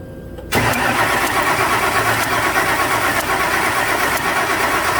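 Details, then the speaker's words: 2006 Ford F250 5.4 after bodywork: spark tester and noid light on cylinder 1 show spark and injector pulse, fuel pressure reads present. Steady starter whir, about three pulses a second, never fires. Suspects bad fuel, a false pressure reading or timing. Cranks, no start. "Okay. So we've got theoretically spark and injector pulse and theoretically fuel pressure. So it's either bad fuel or somebody's lying to us about fuel pressure."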